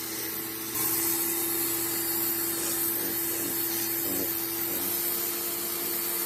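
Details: Greenworks 1704 electric pressure washer that had stopped working, tested after repair work: steady motor hum with spray hiss, smooth and even, no surging; working normally.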